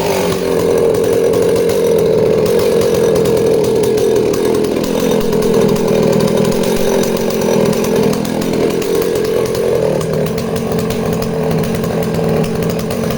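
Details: Danarm 36 "hot rod" chainsaw with stainless steel exhaust, cutting wood at high revs: pitch sags and recovers, no stutter; intermittent off-load misfire disappears under load, runs clean.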